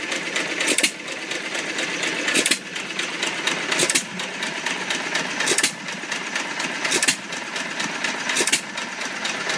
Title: First run after rebuild! Old Iron Creamery power plant